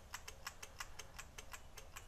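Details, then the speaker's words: 1999 Honda Valkyrie Interstate, sat for years, no crank on pressing start: sharp dry clicks about five or six a second with no cranking underneath; headlight interlock relay chattering, not the starter. "yeah you know what that is that's the head Lane interlock relay turns your headlight off when you crank"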